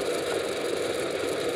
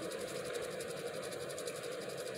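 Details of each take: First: ReVent exhaust fan plugged in for demonstration: steady mid-pitched fan rush with a light buzzy rattle; a piece of tape holding the backdraft flapper makes it chatter and should be removed. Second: ReVent bathroom exhaust fan plugged in on a cord for demonstration, flapper open and blowing strongly: only a faint, smooth airy hum with no rattle or whine. Normal quiet running.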